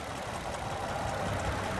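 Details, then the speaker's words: Abandoned Nissan or Honda sitting for years, started in cold weather: steady idle with faint regular top-end knock under exhaust drone, quieter than before; owner suspects timing chain or lubrication, may try thicker oil and warming it up, else engine replacement. "you could still hear it it's quieted up a good bit maybe we could put some thicker oil in"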